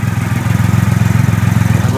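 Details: 2008 Triumph Rocket 3 after a starter relay mod, on its second start: a smooth, even, low-pitched idle pulsing about twenty times a second with no knocks, misses or rattles, so the idle is healthy.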